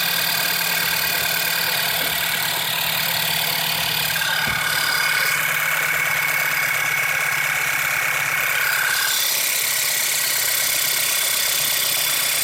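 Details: 2008 VW Passat 2.0 TSI at idle with light, fast, uneven top-end ticking that started a few days ago; not from tensioner, water pump or the new oil pump; source unknown.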